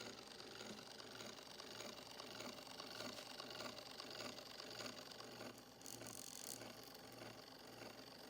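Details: Rebuilt 1905 Victor II phonograph spring motor with coarse straight-cut gears, after bearing set. Light, even whir with a soft rattle but no harsh clatter: gears running quietly.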